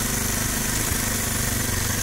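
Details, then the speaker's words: 2019 Kawasaki KLX 230 at steady fast idle around 2000 rpm: even but coarse mechanical clatter, engine sound rough and noisy though vibration is smooth; rough noisy idle. "dan motor ini getarannya halus walaupun suara mesinnya kasar"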